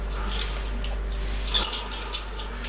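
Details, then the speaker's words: Ceiling fan with blades removed, rotor turned by hand: shrill, uneven chu-chu chirping squeaks from a dry, worn motor bearing. "अब जैसे कि हम इस तरह से घुमा रहे हैं आप देख सकते हैं इसमें से चू चू करके आवाज आ रही है"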